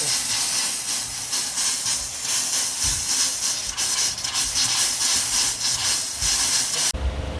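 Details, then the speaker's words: Newly installed Rheem natural gas water heater with automatic exhaust: the hot line purges trapped air with a harsh spitting hiss and uneven bursts, settling to a smooth rush. No leaks. "So once the water comes out smoothly, then you just turn it"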